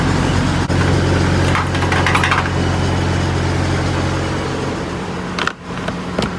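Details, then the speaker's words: Peterbilt 579 back from the dealership with fresh oil, noticeably smoother than before: deep, even diesel idle, steady low drone with no knocks or misses; normal idle. "but here listen to this she just sounds so much smoother put a brand new oil for just a smoother running truck"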